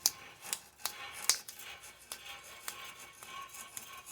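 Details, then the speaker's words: 2014 Chrysler Town and Country during front wheel bearing replacement, axle removed: dry, scratchy clicks and loud rasping as the hub is turned by hand, a worn front wheel bearing. "And then, alright, so we are at, basically we got to unbolt the bearing assembly. You can hear that bearing."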